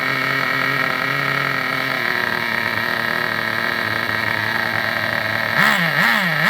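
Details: Vintage Traxxas nitro RC buggy on the bench: a high, steady buzz holds a fixed pitch, then hunts and surges up and down near the end as the tank runs dry; running normally.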